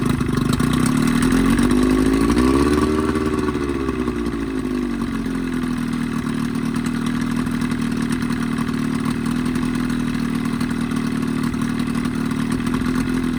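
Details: 20hp Evinrude two-stroke outboard modified to 25hp, after a full service with head cleaned, new thermostat, gaskets, plug wires and primer seals: uneven run rising and dipping with throttle, coughing and spitting; lean misfire, cause suspected, not confirmed.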